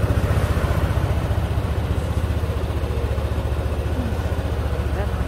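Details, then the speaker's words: Yamaha NMAX 155 V1 scooter after cam bearing replacement and throttle body cleaning, no error codes: even, steady idle thump about four pulses a second, no valvetrain ticking that was previously loudest at idle; normal quiet idle. "So, ayan siya, tahimik na. Kasi pagka naka-minor, doon siya maingay eh."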